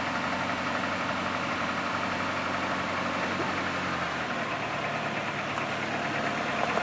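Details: 2009 Cadillac CTS at cold start: loose, uneven rattle about twice a second over the idle; owner suspects the timing chain, unconfirmed. The car runs fine after startup but dies once warm.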